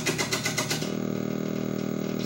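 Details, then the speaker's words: Gorf arcade game board #2 with custom chip D installed, powered on before any oven baking: harsh buzzing bursts, then a steady raspy drone instead of game sounds; garbled sound from a faulty custom sound chip. "Custom D. Let's power it on. Whoa. That's not good. Listen to that. Totally jacked up."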